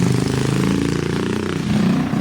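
A brisk, even single-cylinder putter holds steady with no knocks or misses, so the rebuilt engine is running cleanly.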